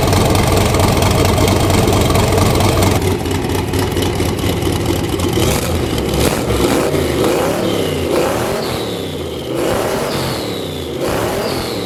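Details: 331 cubic inch small block Ford V8 with aluminum AFR heads and a Quicktime turbo kit with an eBay 7875 turbo, open exhaust with no mufflers. Loud lumpy idle with choppy cam rhythm, then clean crisp revs. Sounds great for a race car, less so for a street car. Normal idle and revs.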